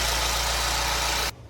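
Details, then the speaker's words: Mercedes-Benz GLA 250 idling: harsh, clattery hiss over a low hum. The engine is low on oil and 2,000 miles overdue for an oil change, with a massive oil leak from the back of the engine. "I guess it would help if they had oil in the engine. It's 2,000 mi over for an oil change."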